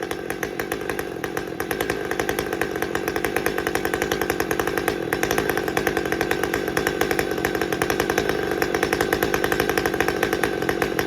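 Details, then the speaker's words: Husqvarna T540xp Mark III chainsaw, about 6 months old with performance work and auto-tune, after fuel filter replacement: steady, even two-stroke idle with a fast regular beat, no stumbles for over a minute; stalling cured. "Well, it's been over a minute and it's still idling fine and hasn't hiccuped at all."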